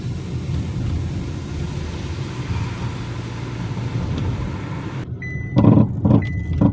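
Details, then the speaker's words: Test drive over the same bumpy patch after replacing stabilizer links and outer tie rods: steady low cabin road rumble, soft dull thumps, no front-end clunking or rattling. "it sounds absolutely quiet in here i'm not quiet but you get what i'm trying to say it sounds just how the way this car should sound if you're going over bumps"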